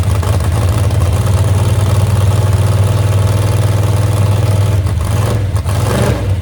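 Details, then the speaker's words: Moonshiner hot rod truck first started after 10 months and a crash overhaul: loud lumpy idle, uneven around four pulses a second with a new clattery edge not heard before; crossed plug wire suspected, not confirmed. "That sounds like a 12 gauge in my ear hole, though. Yeah, we didn't have that. We didn't have that noise."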